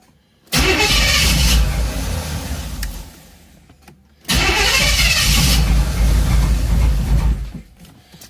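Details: Third-gen Camaro, about 35 years old, after a new part was fitted and a ground fixed, cranked without the spark controller: two start attempts each catch briefly, then sag unevenly and die, never settling into a steady idle; cranks and runs rough.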